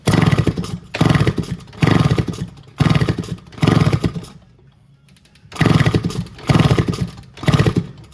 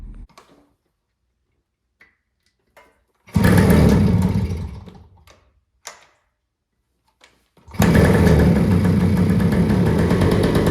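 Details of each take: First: 1974 Kawasaki MC1 motorcycle with a nest-blocked exhaust; repeated kicks give short sputtering bursts about once a second, each dying without the engine catching, sounds odd, won't start. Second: 1974 Kawasaki MC1 two-stroke after fitting a new spark plug: it fires briefly and dies, then restarts and settles into a steady, crisp run with no misfires. Running properly.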